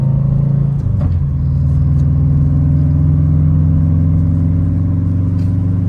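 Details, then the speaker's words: Subaru WRX running without a resonator after an exhaust leak was fixed; the leak came from loose, unlocked header nuts, one of three manifold nuts presumably missing. Deep, smooth drone rising evenly with revs, no raspy ticking; now sounds good. "the car sounds a little bit better so I'm assuming that one of the nuts which is three nuts for the exhaust manifold one of them left the chat early cuz my car SED like a little raspy and it kind of sounds good now"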